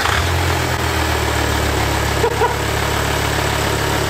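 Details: VW Touareg engine idling evenly with a steady low rumble, smooth regular beat and no knocks or ticks, on first start after an oil and filter change; the engine had been drained of oil and took about 8.5 litres to refill.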